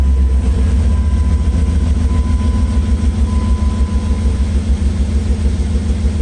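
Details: Drag truck build ("Project Catfish") idling after priming fuel line on nearly empty tank; deep, steady rumble, even pulse about three beats a second, no misses or knocks. Owner suspects fuel pump starting to go bad as it sounds louder.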